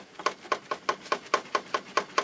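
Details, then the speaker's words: 2007 Peugeot Partner 1.6 HDi 92 bhp (9HXC) diesel idling: regular light metallic ticking, about five taps a second, from aluminium heat shield with broken bracket, sounds like a tractor; heat shield rattle. "but wow, this is the engine is running. This really sounds like a tractor."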